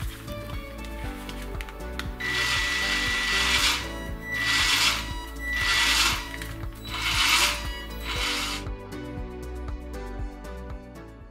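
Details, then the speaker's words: 1:16 4WD RC pickup, fully charged battery, full throttle with wheels lifted off ground: drive motor whine surges and cuts out cyclically about every second, with background music. "даю полный газ и машинка начинает циклически отключаться Как видно это проявляется даже с вывешенными колесами то есть на холостом ходу чего быть не должно"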